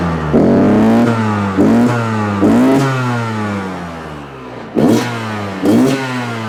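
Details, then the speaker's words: Yamaha YZ125 two-stroke, just fired up after new crank (main) seals and gaskets, choke still on: crisp revving blips settling to an even crackling idle, sounding far better than before the repair; normal two-stroke idle. "All right. That sounds good. We're going to open up some doors and stuff here, get the smoke out of here, start not breathing too much exhaust, and check it out. But that already sounds way better than it did."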